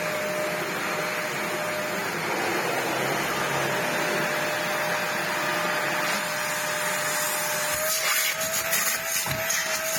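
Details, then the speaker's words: Used Sebo Dart 1 commercial upright vacuum bought for £30, first run before refurbishment with a hole and missing parts; strong steady motor roar with constant unwavering high whine; motor seems really strong, running normally. "it runs okay it's got accident the motor seems really strong the red light"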